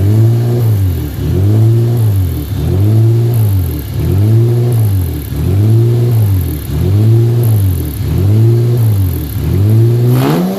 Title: First fire up Honda 3.5 vtec. Had a vacuum leak. Been corrected since